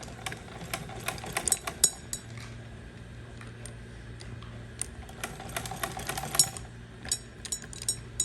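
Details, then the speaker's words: Sewing machine after flywheel repair (loose flywheel, chuck nut and screw tightened): steady low hum with light irregular ticking; slight play remains, but runs fine under load. "तो जैसा कि आप देख रहे हैं, अभी मशीन बिल्कुल ठीक ठाक हो गई। लोड डालने पर बिल्कुल इशू नहीं कर रही।"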